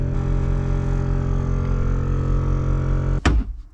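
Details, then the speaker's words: Range Rover L322 air suspension compressor pump running before removal for a seal kit strip-down; its washer wears out. Steady low droning hum for about three seconds, then it cuts out with a clunk; fault unconfirmed. "okay so the pump has come on on the compressor in just about hear it"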